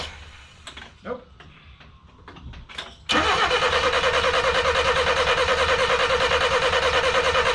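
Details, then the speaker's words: 1988 Ford Festiva after Weber carburetor swap, 13 years sitting: starter grinds at steady rhythm about three turns a second but engine never catches; crank no start, wiring or coil wire suspected. "nope not a damn thing"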